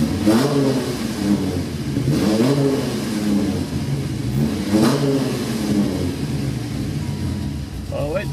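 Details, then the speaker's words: Dodge Viper after oil cooler modification, warming up: deep even idle with three sharp blips rising cleanly and settling; good oil pressure, sounds healthy. "A really good oil pressure. Water temp's coming up to temperature, so I need to get out there and watch my overflow bottles. Sounds good."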